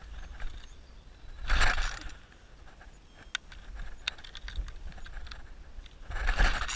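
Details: Weed wacker (string trimmer) cranks but won't start: two separate rattling pulls on the recoil starter, each dying straight away with no firing between them.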